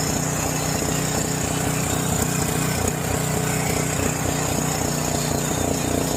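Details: John Deere 6200-watt portable generator, dry-stored about four years since Hurricane Ian, with old fuel varnishing the carburetor. After the carb was cleaned it runs at about half choke with an uneven, hunting beat that never settles. There may not be enough gas.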